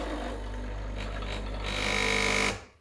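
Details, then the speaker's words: Breville Barista Express BES870 espresso machine run without water in the tank: loud, coarse buzzing rattle over a steady low hum that builds, then cuts off, the pump running dry; refill and reinitiate the system. "starts rattling, so you don't want to do that. You want to fill it with water and reinitiate the system if it ever runs dry."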